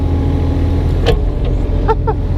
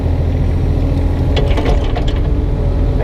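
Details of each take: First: 2006 Kubota KX 101-3 mini excavator grading with a board and 80 cm bucket: steady diesel drone with a few light squeaks as the arm moves. The unfixed banging is avoided by careful operation, so the hydraulics sound smooth. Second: 2006 Kubota KX 101-3 mini excavator at diesel idle: a burst of sharp clatters when the arm jerks without care, from worn pins and bushings with too much play; the owner only avoids it by working gently.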